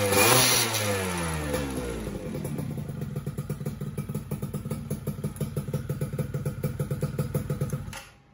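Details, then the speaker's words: Two-stroke engine, just rebuilt block, at idle after re-tuning the carburettor needle (suspected undersized main/pilot jet): after a brief rev it settles to an even idle with no clonking, earlier slight knocking and heavy throttle now gone; normal idle. "Tadi kan masih ada ngok-ngoknya dikit, terus berat juga di gasnya saya. Sekarang udah jauh lebih enak."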